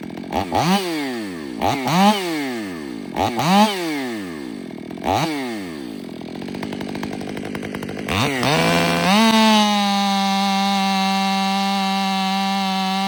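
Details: Ported Stihl MS500i (Empire Workshop) on a 32-inch bar with an unmodified MaxFlow plug-and-play air filter takes several pull-start tries, then catches and holds a clean, even, high scream at full throttle; saw running healthy.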